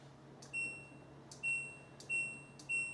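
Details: New LG washer just installed and levelled, switched on for the first time: four short, clean high beeps at uneven spacing in a quiet room; the control panel powers up and responds normally.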